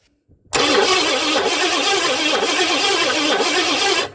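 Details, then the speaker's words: 1958 Edsel engine, freed from seizure last fall, cranked with ignition off: starter spins it strongly and steadily with even compression rise and fall, no grinding or clatter, normal cranking. "i don't have the ignition on i just want to see if it'll crank at this point what kind of funny noises it's gonna make"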